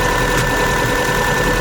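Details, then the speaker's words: Subaru Baja Turbo, freshly rebuilt engine, first start, cold and warming up, heater on, bleeding coolant, no check engine lights: steady, even idle hum with no knocks or misses, sounds healthy. "Yes! It sounds great. Heater's on. And we're just gonna bleed the coolant and listen to it."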